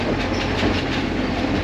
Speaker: You can hear it when it hits the metal there, that it's clean.